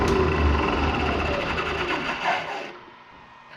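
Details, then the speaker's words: Abandoned Bridgeport milling machine motor newly run on a VFD at 60 Hz: steady hum with a faint drive whine, smooth and even, then it spins down quietly; runs clean without faulting. "oh love that sound I'm gonna hit run actually and see what this thing does run okay we got 60 hertz"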